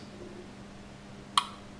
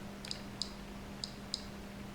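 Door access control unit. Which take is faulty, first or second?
second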